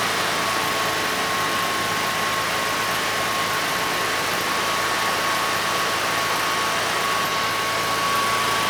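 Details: Generac standby generator (model 0058751), 999cc engine (0J9333) after oil pump replacement fixed low oil pressure shutdown: smooth, unbroken constant-speed hum with faint steady tone, no knocking or hunting; normal running.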